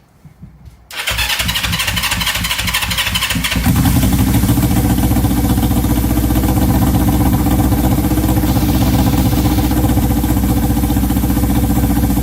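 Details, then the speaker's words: 1970 Honda CL350 unregistered 42 years, first start with choke on and temporary fuel lines: fires easily, revs rise then idle hangs high instead of settling; suspected vacuum leak or sticking throttle cable. "shockingly easy either we have a vacuum leak or the throttle cable sticking when you go to Revit kind of hangs the idle kind of hangs"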